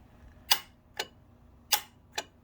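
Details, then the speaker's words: Saturn S-series with rear-mount turbo, A/C compressor relay circuit test with ignition on: sharp relay clicks in uneven pairs about half a second apart over near silence. Owner suspects a bad PCM or a ground fault on the gray wire, to be checked by disconnecting the connector. "then I'm going to disconnect that connector and then see if I still have power uh go into it because if I do then it means this PCM is bad if I don't then I've got a ground fault somewhere"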